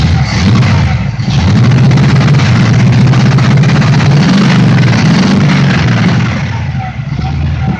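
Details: 1967 Pontiac Le Mans with Pontiac 400, run on electric fuel pump with no radiator: deep steady V8 idle with smooth blips settling back evenly, no ticks or knocks; 60 psi oil pressure, healthy.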